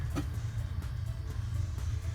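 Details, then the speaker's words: 1984 Porsche 944 whose fuel tank was packed with rust, electric fuel pump bench-tested: a low, labouring drone with uneven knocks. The pump is clogged and must be unclogged or replaced. "so I'll go ahead and connect it here and I'll hear it running but I do hear knocking from the pump when I do that"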